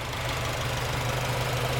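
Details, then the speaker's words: Honda Civic Si after installing Skunk2 Alpha headers with OEM gaskets and a Hasport rear motor mount, checking for exhaust leaks: steady low idle hum with an even beat, no ticking or puffing; no exhaust leaks. "It's already on. I'm just checking if there was any exhaust leaks, but no, everything's good so far."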